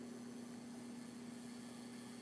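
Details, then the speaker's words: 42" Hampton Bay Littleton ceiling fan on high with light kit and globe fitted: steady low buzz at one pitch from a loose light-kit screw rattling; touching that screw reduced the noise. "mainly one of these screws yeah it's this particular screw right here because i touched it the noise kind of went away a little bit"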